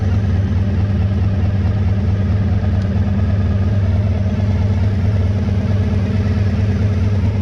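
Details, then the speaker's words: 1985 Honda VF1000R V4 after carb clean and airflow-gauge carb balancing, idle set slightly high: smooth, steady burble with even beat, revs out and returns to idle cleanly; poor idle fixed, normal idle. "let's see I've been nice and when I rev it so it's revving out nicely and it's returning to idle nicely so yeah I'm happy with that that's addressed the uh the idle issue"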